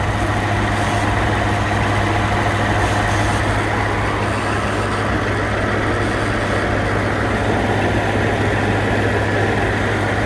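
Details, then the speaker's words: 2019 Ford F-150 two-wheel drive running on E85, engine bay at idle; steady even hum with a faint odd unidentified noise over it that fades and gets quieter; cause unknown. "Dude, what the fuck is that noise? You hear that?"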